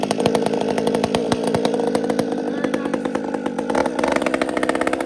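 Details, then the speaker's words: Chainsaw after a major repair, at full throttle: screams with a slightly uneven, burbling crackle, four-stroking a bit. Carburetor tuned rich at the top end, leaving some margin. "He's got this tuned really nice. He's left me some room at the top. I can feel it. It's got nice whack, but it's fat at the top."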